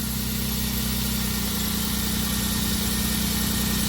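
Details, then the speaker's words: Van idling after misfire repair with new spark plug wires (misfire had caused MAP sensor failure): even, steady idle with smooth low hum, no stumbles or skips, running cleanly on all cylinders. "All right. So, let's start this up. Shouldn't have a misfire anymore. All right. She sounds good."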